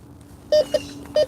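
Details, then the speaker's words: Bounty Hunter Tracker IV metal detector gives four short low-tone beeps over a hum: a non-rusting target rather than the high tone of a coin, dug up as a pull tab. "Okay, that came in with a low tone. So this could be, it's something that doesn't rust, but it could be trash, could be treasure. It didn't have that high tone like a coin would come in as."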